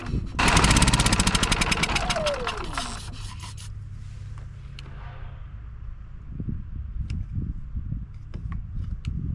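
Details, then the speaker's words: Westinghouse iGen4500DF inverter generator, stored almost a year, started on starting fluid sprayed into the air intake. Loud cranking catches, then an uneven, stumbling run with irregular pulses and no steady beat. Rough running; owner suspects old fuel. "man that's an awful noise isn't it well she runs which tells me that uh the issue is probably in the fuel"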